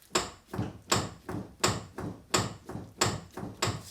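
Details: Mercedes SLK32 AMG (R170), front driver's-side wheel rocked by hand: sharp metallic clunks about every half second, passenger side slightly better; worn steering center link and tie rods, later replaced with steering link and control arms.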